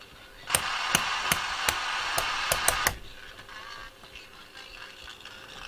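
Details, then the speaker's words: Eddystone EC10 receiver on first power-up: harsh, gritty audio with sharp crackles about every half second before it cuts off. Distortion is present at the output stages; a dodgy transistor is suspected, cause unconfirmed. "oh that's distorted it sounds terrible sounds appalling"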